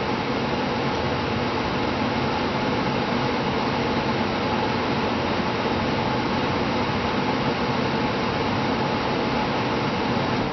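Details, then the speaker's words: Upstairs-system air handler blower running in fan-on mode just before a heat-mode startup, after installing a new Honeywell Focus Pro 5000 thermostat: a steady rush of air with a low hum and no knocks, rubs or surging. Normal. "Okay guys, I'm going to sit all on the box here and go do a startup in heat mode here. It's running in fan on right now."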